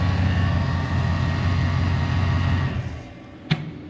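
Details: 2020 GMC Sierra pickup, revved gently and slowly: faint steady whine over the engine note; owner suspects the belt-driven accessory drive on its stretch-belt setup with no tensioner, not confirmed.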